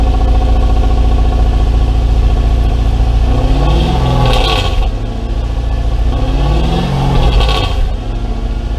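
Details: Mercedes W203 C230 Kompressor coupe with swapped Lexus 3UZ-FE V8, after new exhaust installed: deep, loud V8 burble swelling with two throttle blips, no drone or rattle; healthy exhaust note.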